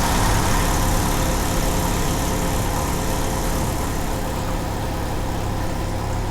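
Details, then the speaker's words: 1993 Jeep Wrangler YJ 2.5L at idle after timing was set to 8 degrees: steady low idle with an uneven, loping beat of about three pulses a second; timing ruled out, owner suspects a vacuum leak and possibly an exhaust leak. "Looks like we're gonna have a vacuum leak. Down here. Like I've got a exhaust leak."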